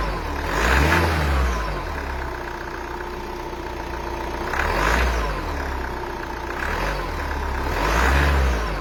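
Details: Renault 2.0 dCi diesel revved while cold in slow surges, a rough clattery roar rising and falling with each blip; abnormal noise when revving cold, cause unclear.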